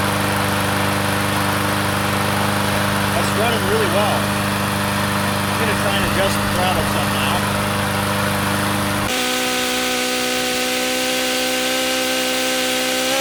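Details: Craftsman 22-inch side-discharge push mower, small single-cylinder engine revived, primed twice after reassembly: runs steady and even, then pitch steps up and holds smooth as throttle raised; normal running.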